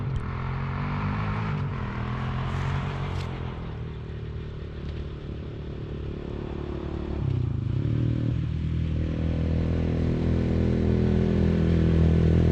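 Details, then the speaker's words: Big Gun exhaust, overdue for repacking and recently very loud, now repacked with the silencer core installed: an even, low, somewhat muted thumping idle, then a gentle rise in revs, a lot quieter at idle, loud but healthy exhaust note. "all right y'all so i just got the silencer core installed right there and we'll see how much difference it makes definitely a lot quieter at idle sounds all right i guess loud exhaust but um"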